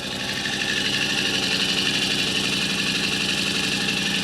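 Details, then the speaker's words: Rebuilt 2023 Yamaha Rmax side-by-side engine on first start after reinstallation, in neutral, taken easy while coolant settles; steady, even, smooth idle with a quick pulse and no knocks or rattles; normal idle. "Man, that sounds so smooth. I can't tell you how nervous I was about that working. still running real good."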